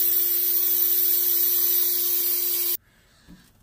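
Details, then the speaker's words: M939 series truck with one air tank leaking down, at max air pressure: steady hard hiss of escaping air for nearly three seconds, then it cuts off. Air leaks through a faulty brake treadle valve, which was replaced. "see if you hear that the KN 23,000 doing that little hissing the little honking noise to get air come by"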